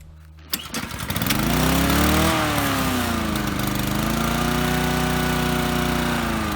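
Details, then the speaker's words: Lawnmower engine after surging repairs: it starts, swings in speed briefly, then settles into a steady run. A lever's spring was replaced with wire and cloth was taped to the flap to smooth its movement. "and after that we taped a piece of cloth to this flap here to further smooth on its movement and narrow the engine actually runs pretty smoothly"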